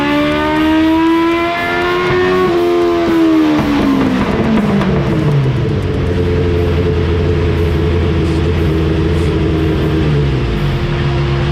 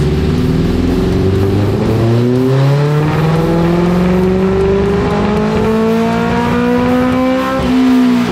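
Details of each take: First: 1987 Suzuki GSX-R 1100 with carburetors cleaned and tuned, full-throttle dyno run; engine note climbs cleanly and winds down without stumbles, smooth even pull after the earlier choppy run. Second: 1987 Suzuki GSX-R 1100 four-cylinder on the dyno, before re-jetting: pitch climbs smoothly under load; carburetors found running very rich, ridden like this for years after an exhaust change, fix is smaller jets.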